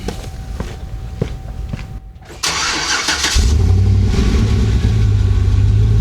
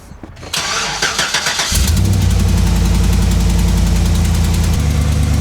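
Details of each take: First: Swapped 6.2L L92 V8 (from 2007 Escalade, replacing 5.3L) in a 2011 GMC Sierra 1500, started after sitting, a bit steamy with exhaust condensation, just after replacing both exhaust manifold gaskets: a few clicks, then a strong, even idle with no puffing or ticking leak. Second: 2011 GMC Sierra 1500 swapped to a 6.2L L92 V8: cranks, starts and idles with a quick sharp tick over the rumble from a suspected blown exhaust manifold gasket (cheap non-MLS gaskets) after a full-throttle pull.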